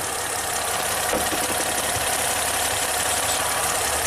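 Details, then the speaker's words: 2010 Ford Fusion under load after a new spark plug on cylinder 1, with the PCM already replaced: uneven, stumbling idle with occasional missed pulses; it is still misfiring on cylinder 1. "Okay. It's still going to be cylinder number 1. Yep, still cylinder number 1. Still the same garbage."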